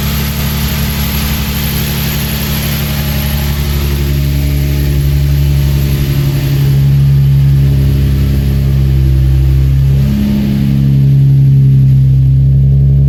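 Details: Engine idling after installing a 5/16 Motordyne plenum spacer: smooth, low, even idle with a couple of gentle rev rises that settle cleanly, no hunting; owner sees no vacuum leak, though a belt squeak is mentioned.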